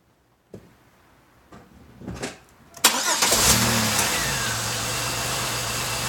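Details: 1999 Pontiac Grand Am, about 90,000 miles, previously idling rough and coughing at start-up; new plugs, wires and air filter, then fuel system cleaner added. It cranks, catches and settles into a smooth, even idle. Normal idle.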